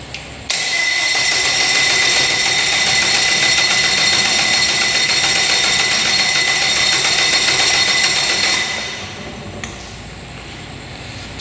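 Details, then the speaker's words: Outboard on a flats boat, primed before cranking; a steady high whirring crank with even pulses, about four a second, runs eight seconds without catching. Smoke comes from near the throttle body; the cause is unknown and the owner plans to pull the head. "hmm she doesn't want to start all right not sure what's going on"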